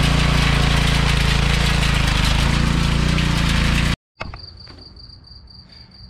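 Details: Troy-Bilt Pony rear-tine tiller, 5 hp Briggs & Stratton single-cylinder, after carburetor removal and jet cleaning with copper wire for suspected fuel starvation: fast steady idle, even beat, no misses or surging, then cuts off; running healthy after repair.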